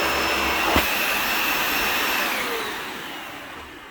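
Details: Garage-sale Dyson Ball Total Clean (UP13) vacuum, first test run: smooth, steady high whoosh with no wavering or grinding, fading out at switch-off, unlike a whiny new-in-box unit; motor runs normally.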